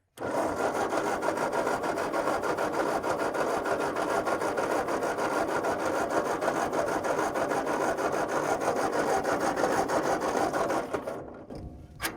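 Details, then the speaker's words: Rebuilt-engine tractor cranks but won't start: thin, dry starter churning about three turns a second with no firing; fuel bowl has fuel but fuel apparently not reaching further, cause unconfirmed. "the fuel bowl has I mean the bowl has fuel in it so I don't know why it wouldn't come down to here"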